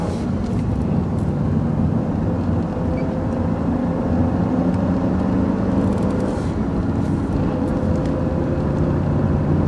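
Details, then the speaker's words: 2001 Jaguar X-Type 2.5 V6 manual petrol after transfer box oil change, recorder on floor near transfer box, cruising around 30–60 mph in fifth gear: smooth even road rumble, no whine; transfer box running quietly. "I've put the iPod on the floor so it's as near as a transfer box as it can be so we'll see what it sounds like well no whining noise that's a good"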